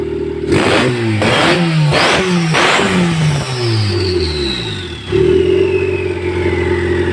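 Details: Stock EK Civic D16Y4 non-VTEC with eBay turbo kit, no injector, ECU or fuel pump upgrade, first start: revs surge up and down then hang high with rising whistle, running away to redline.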